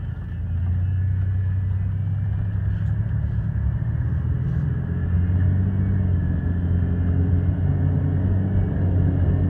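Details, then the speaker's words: Rust Belt Chevy Impala project car on first test drive after rear suspension repair: deep steady growl from the front under road rumble at slow speed; owner suspects worn front wheel bearings. "there's definitely a real loud growl coming from up front so looks like it's gonna be time for some new bearing hopes"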